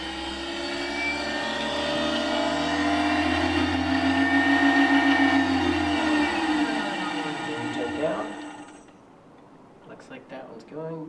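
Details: 1995 Solectria E10 passenger-side traction motor on its AMC 325 controller, bench-tested with an AMC test box powered from a truck's AC connector, in forward with light throttle: smooth electric whine, then sags and fades, no grinding; normal run.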